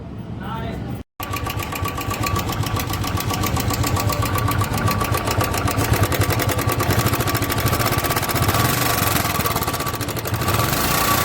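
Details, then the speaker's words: 2017 Royal Enfield Bullet Electra 350 UCE single-cylinder idling: loud, sharp metallic "kat kat" ticking from the top end, sounding like hydraulic tappet noise; valve train tappet noise suspected, not confirmed. "तो guys आज की जो video है वो है कि एक Electra है 2017 मॉडल और उसमें कट कट कट कट की आवाज़ आ रही है, जैसे कि इंजन में कुछ बज रहा हो। तो अगर आप देखोगे तो आप भी कहोगे कि ये हाइड्रोलिक की आवाज़ है।"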